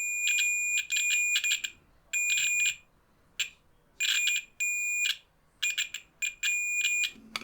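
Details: Continuity tester on a button of a DMTECH US133SDB radio beeps in broken bursts instead of one steady tone when pressed; the contacts look dirty and connect unreliably, so they will be scraped.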